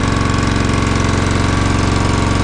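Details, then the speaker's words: Honda GX120-powered air compressor that had no compression, first run: fast, even, loud and slightly harsh single-cylinder thumping while burning off excess oil. "It's alive! Woo! Might take a minute to burn off all the excess oil and everything."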